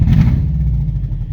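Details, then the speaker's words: Lifted Subaru GC8 at idle, after ruling out the ignition box: deep lumpy idle with uneven stumbling beats and heavy shaking; misfire, possibly from a bad plug or plug wire. "that's what it feels like in the pa in the driver's seat like that's probably a better representation of how much this is actually misfiring or like the shakiness you know and that's not normal"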